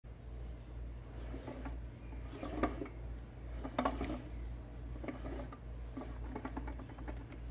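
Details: 1986 Evinrude 20 HP outboard with 0 and 30 PSI compression, head and covers removed for rebuild; crank turned by hand gives slow, uneven clicks and knocks, suspected connecting rod bearing play, sounds worse on video than in person.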